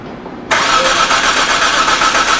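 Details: 2007 Hyundai Santa Fe 2.7L no-start, cranked while injector circuit is scoped: steady even starter whir for a couple of seconds, never fires; probe was on wrong pin, showing steady voltage without pulse.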